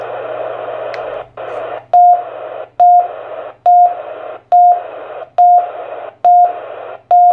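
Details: TYT TH-7800 radio: short high beep repeating a bit faster than once a second over a steady hiss; unexplained repeated beeping.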